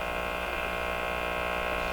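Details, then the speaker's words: Stromberg-Carlson Model 552 tube radio during paper/wax capacitor replacement, one capacitor found disconnected: steady low buzz with a thin whine on top, unchanging; persistent hum, source not yet found. "from that noise [Applause] can't get away from the noise"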